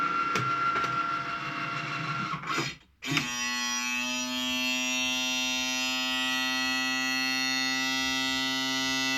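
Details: Cricut Maker cutting machine running: after brief pause, loud steady tonal drone and rising whine, far louder than normal operation.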